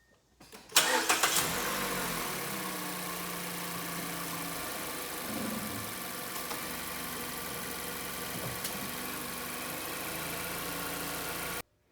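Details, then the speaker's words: 2012 Mazda 3, 2.0L SkyActiv, about 135,000 miles, after belt tensioner replacement: cranks briefly, catches, flares and settles to a smooth quiet idle with no chirp, rattle or whine; earlier noise confirmed as the tensioner. "okay so it turned out that that sound was indeed the tensioner I'm a little bit surprised but I'm happy to see that because now the car is super quiet and all is back to normal"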